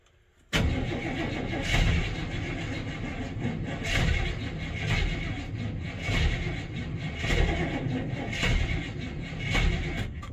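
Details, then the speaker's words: Catches after a brief crank, then surges and sags about every two seconds instead of holding steady; rough unsteady running after start, owner suspects low spark, timing or both, battery weak. "we're definitely low on spark or timing or all of the above because it shouldn't go like it is it should be a lot more steady"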